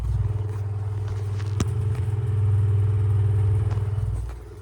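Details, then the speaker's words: Tatung fan with dry, worn bearings, heard on low speed, needing oiling: low steady motor hum with a fast, even rattling flutter; still moves a good breeze on high; dry fan bearing noise. "Again, one more listen to the bad bearings because it doesn't sound good."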